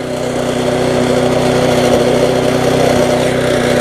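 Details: Viking (Stihl) mulching mower with Briggs engine, after carburetor refurb: constant high buzzing drone, slightly fast, no surging; smoke clearing after being tipped, light rattle from loose handlebars; runs well.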